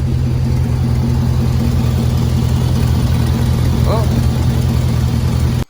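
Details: 2003 Chevrolet Silverado/GMC Sierra 1500 V8 pickup idling after a knock sensor replacement: steady low, smooth rumble with no knocking, though a possible exhaust leak is heard.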